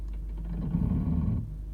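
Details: Brand-new 2018 Toyota RAV4 XLE, 374 miles, about two weeks old: a low rough grinding swells for about half a second when the foot slowly releases the brake, in forward and reverse, regardless of steering; present since day one; source unknown.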